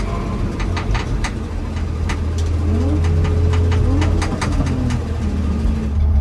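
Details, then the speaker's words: BMW E36 drifting on track: sharp irregular clunks about four a second that follow wheel speed, starting after an AutoZone trip, with coilovers checked fine; owner guesses dust shield or bumper, a friend suspects a trailing arm bushing. "I also don't know what that sound is. That started happening like when I got back from AutoZone. It's with wheel speed. It's probably just my uh dust shield or something like that."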